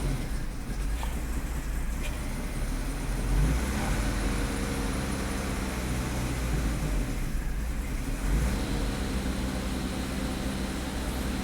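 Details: 2005 Mazda 6 3.0L V6, codes cleared, five gallons of fuel added to dilute alcohol left in the tank: fairly even idle with a couple of light revs, no stumbling or misfire; normal idle, owner thinks a purge valve problem is possible.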